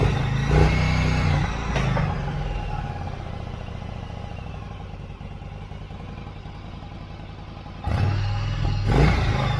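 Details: Yamaha V-Star 1100 (XVS1100) V-twin after carb cleaning, airbox off: deep loping idle holding steady between two short throttle blips, no misses or clatter; running cleanly.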